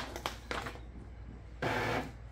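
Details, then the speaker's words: Epson L3250 EcoTank printer just plugged in after drawing ink into its empty lines: short carriage and pump clatters and brief whirring; the normal ink charge cycle, which takes about 3–5 minutes. "vou ligar ela na tomada tá gente pode ser que ela vai fazer alguns barulhos aí é porque na verdade as tintas vão se regular aí"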